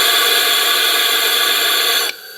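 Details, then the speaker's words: Leak-down test on a Honda CRF250R at TDC on the compression stroke with 50 psi: a steady hiss of air escaping through the opened throttle body, plus a slight exhaust leak, showing leaking valves; head gasket and piston seem fine. "We definitely have uh a valve leak here. Luckily, head gasket seems to be fine and the piston also seems to be fine."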